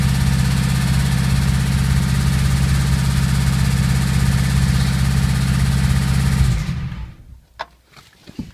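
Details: VW Golf 2 1.3 at steady idle: fast, hard repeating tap under the exhaust until shutdown, worn rod bearing shells knocking.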